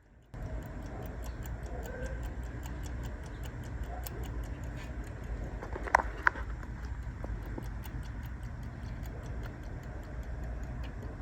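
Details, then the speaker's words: 1971–72 Mopar Rally dash clock on a bench power supply at about 12 volts, nudged by finger: faint, uneven ticking, roughly three per second, over the supply's fan hum; movement barely runs, suspected corrosion or dried grease. "It's almost going on its own. When the fan shuts off of the power supply, you can hear the clicking."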